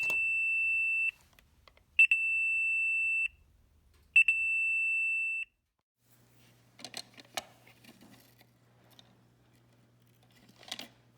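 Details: Chamberlain/LiftMaster 888LM myQ garage door opener control (041A7928-3): three long, high-pitched beeps about two seconds apart, caused by failed backup capacitors; fix is soldering new 1 F 2.7 V capacitors.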